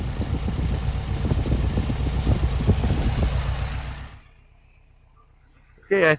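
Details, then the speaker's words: Restored 1969 Volkswagen Beetle, 4-speed manual, air-cooled flat-four boxer, recorded at the twin pea-shooter exhaust pipes: deep even burble, no misses or knocks; healthy normal idle. "All right, sounds pretty good at idle. That inimitable flat 4 boxer air-cooled sound."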